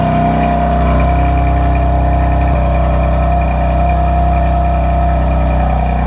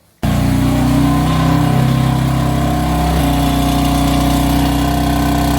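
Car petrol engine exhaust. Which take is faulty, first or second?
second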